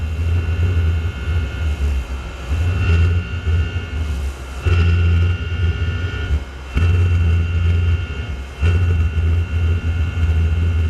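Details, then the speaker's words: Chinese PT-5 diesel heater with the air inlet almost fully covered: the low roar swells and drops about every two seconds and never settles. It sounds fuel-starved though fuel is flowing; owner suspects too much gasoline in the diesel mix. "it's like it's not getting enough fuel but I can see the fuel going in"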